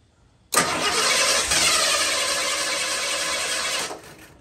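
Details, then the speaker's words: Warm engine with a weak ignition coil before swapping to a good coil: cranks about three seconds with a faint kick or two, briefly starts then dies; hard start from weak coil. "ah yeah see that it's it's it's try you could hear it kick but um we'll do that again and you hear it kick you know it's trying ah see that started died out"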